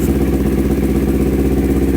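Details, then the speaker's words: Kawasaki Ninja 250 twin-carburettor motorcycle with hesitation, no top-end power, high fuel use, open air filter: uneven idle with severe vacuum pulsing and light pinging clatter, stepping unevenly as revs rise; carburettor problem. "Untuk bantingan vakum itu cukup parah ya, sudah mulai kedengaran serasa ngelitik gitu."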